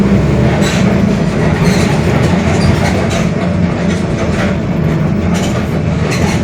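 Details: Mercedes-Benz OF-1721 Bluetec 5 city bus, 2021 build, Mascarello GranVia Midi long body, onboard cruising at speed: a steady low drone and even growl under road rumble, a worn, growling rear differential.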